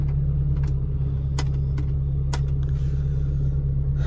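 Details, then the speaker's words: Car engine, cold, after an overheating repair (oil and timing belt changed, valve seals replaced, temperature tested normal, previously hard to start, oil found very low): steady, smooth low rumble at cold idle with a few light clicks; sounds healthy. "Oke. Mesinnya dingin."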